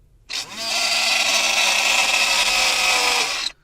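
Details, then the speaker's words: Chezhiku CZK-6604 car vacuum cleaner powered from the lighter socket: motor spins up to a harsh, raspy scraping whine, then stops; improperly fitted filter probably let dust inside, fan scraping against housing. "works okay, some other times it just makes some strange noises, because probably it has some dust inside, and probably is messing up something inside the motor or something like that."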